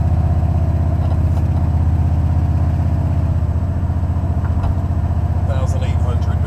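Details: Buick 455 Stage 1 (462) in a Regal T, V8 at idle, heard from the driver side: a fast light tick over the rumble; a lifter not pumping up or a pushrod is suspected. Valvetrain ticking.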